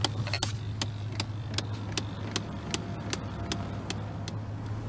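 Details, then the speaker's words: 2001 Chevrolet Silverado with broken air conditioning, engine running: sharp plastic clicks repeating a couple of times a second from behind the dash; owner suspects an air conditioning motor in the dash box, stops when unplugged. "i found where the terrible clicking was coming from the terrible clicking sound is in here"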